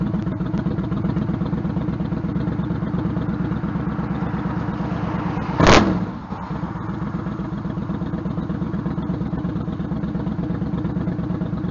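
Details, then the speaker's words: Stryker V-twin idling after new exhaust header gaskets fitted, following about 11,000 miles ridden with loose header bolts, leaking headers and popping: even loping idle, no ticking or puffing at the headers, engine seems a little quieter. Normal idle. "and three two one I think it sort of sounds a little different it even sounds like the engines a little bit quieter"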